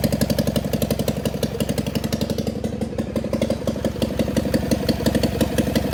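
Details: John Deere 400 tractor, Kohler K532 twin, parts tractor not run in about a decade, governor reported bad, makeshift fuel supply, full choke: crisp regular twin-cylinder putter at constant speed, no hunting or knocks, no smoke; runs normally.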